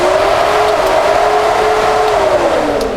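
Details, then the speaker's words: 1967-72 Chevy/GMC truck dual electric radiator fan conversion, ignition on, trigger switch grounded manually: steady rushing airflow with even constant hum, no ticking or scraping; both fans running normally, pulling lots of air. "so now that we're all hooked up i'll turn on the ignition key so we've got power to the relays and then i'll ground out my trigger switch when i do we'll hear the fans come on so you can see that's really pulling a lot of air"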